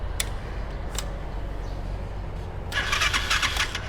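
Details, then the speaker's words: 200cc Thai three-wheeler (samlor), first-owner, idling after hand start: small single settles into an even, low putter with no knocks or misses, a few light clicks; engine smooth and healthy. "ฟังเสียงเครื่องครับสตาร์ทมือติดง่ายครับเครื่องนิ่ม"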